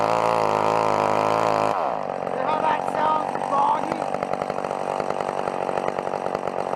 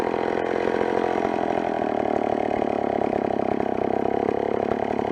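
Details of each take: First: Old McCulloch chainsaw cutting wood at full throttle with the carburettor high-speed screw opened too far: steady high buzz that drops and stumbles in ragged pulses under load, bogging from an over-rich mixture. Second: Old McCulloch chainsaw after adjusting the carburettor screws: a crisp, even two-stroke buzz holds a steady pitch with no stumbling or surging, running clean and well tuned.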